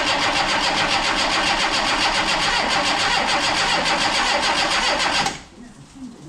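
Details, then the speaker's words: Yugo Sana GL, first crank in about 20 years on a bodged-in battery: steady starter churning about three and a half beats a second for five seconds, never catches; cranks no start, cause suspected not confirmed. "Right, so we're going to give it a go spinning over now. Let's see what happens. First time in about 20 years."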